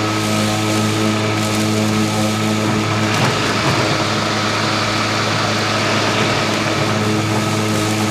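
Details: Stihl RMA510V battery mower cutting grass low at 1.5 inches with eco mode off. An even motor tone with a low steady whirr and a brief rustle of grass, no dips or rattles; running normally at full power.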